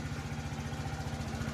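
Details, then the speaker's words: 2012 or 2013 TaoTao 50cc scooter with a swapped battery: steady even putter at idle, about eight pulses a second, no misses or knocks, no heavy smoke; healthy running. "We got juice. All right. She don't sound too bad. I don't see any crazy smoke."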